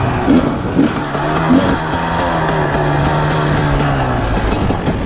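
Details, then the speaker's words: 2020 KTM 300 XCW TPI two-stroke, warm, after replacing the crankcase pressure sensor to cure off-idle sputtering: crisp blips climbing quickly in pitch with no hesitation off idle; throttle response now clean and strong. "What a difference, holy crap, right away. Damn, this thing's a beast."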